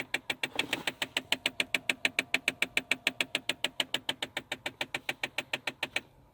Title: Fix Kia Sportage 2009 mode _ knocking noise under dash (video 44)